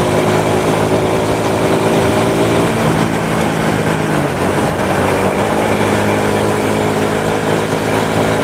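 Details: Honda Supra motorcycle shipped in by cargo in a box, after workshop overhaul of a badly damaged engine; even steady exhaust note with small smooth speed changes, no ticking, knocking or misfires: normal running.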